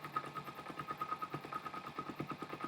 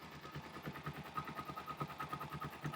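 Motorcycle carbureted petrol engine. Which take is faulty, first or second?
second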